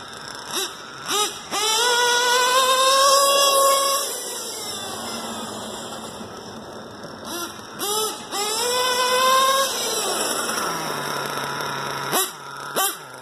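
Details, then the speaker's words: Stock LRP .32 Spec 4 nitro engine, idle and carb tuning not yet adjusted: repeated clean rev bursts dropping back to a steady idle between them; normal running. "And running very well. Haven't really messed with the idle or tuning or anything."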